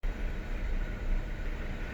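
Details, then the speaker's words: BMW N54 rough idle with check engine light: deep, uneven idle, irregular low throb and small surges; cylinder six shows very high lambda and rough-running values, cause unknown despite swapping injectors. "so as you can probably see in here i have a rough idle n54 and cylinder six has a very high lambda reading"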